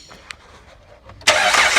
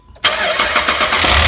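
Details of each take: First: 2010 Jeep Liberty 3.7 V6 after replacing a failed cheap timing chain tensioner, run briefly with valve covers off: engine catches at once and settles into a steady idle with no rattle. Normal start-up after repair. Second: 2010 Jeep Liberty 3.7 V6 at start-up after a timing chain job with cheap Chinese tensioners: a harsh clattering rattle with a misfire, as a bad tensioner moves up and down and lets the chain slap; to be fixed by replacing the tensioner.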